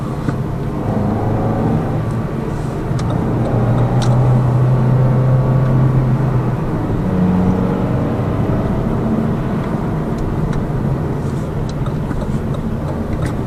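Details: Lada Vesta Cross with AMT 2.0 robotised gearbox, full load, driving rough road, rail crossings and bridge joints, head-mounted camera; after replacing the front shock struts, stabilizer and engine mount the suspension knock is gone, steady rumble with no clunks over bumps.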